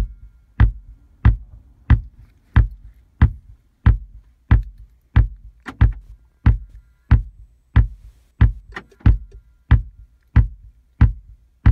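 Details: VW Tiguan RNS510 radio/nav unit stuck in a startup loop with flashing screen: deep, evenly spaced thumps through the car speakers, about 1.5 per second; fix is re-soldering the PIC16 chip.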